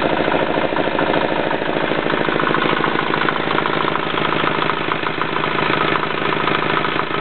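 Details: Yanclone Suntom 186CF 406cc single-cylinder diesel in a Royal Enfield motorbike, second test run after rebuild (injector, fuel line, head gasket replaced, valves decoked): steady, regular chug at idle, about 160 beats a minute, no misses or knocks; healthy.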